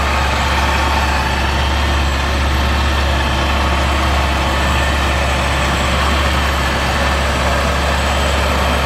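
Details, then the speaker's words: Kraftwerks-supercharged car after repairs, including alternator replacement and cooling system bleeding: steady, even low idle with no squeal, chirp or rattle from the belts; earlier noise gone, normal idle. "a little bleeding system and there's good all that noise has gone from earlier"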